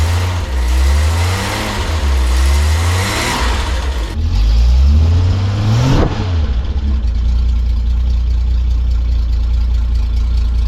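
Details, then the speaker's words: Cabover project after exhaust manifold refitted with new studs and exhaust rehung on rubber donuts: several smooth revs dropping back to steady idle, even exhaust pulses, no ticking or puffing; normal exhaust note, no leaks. "I want to see what this sounds like with no blows on the exhaust because I want it to be quiet, not too quiet."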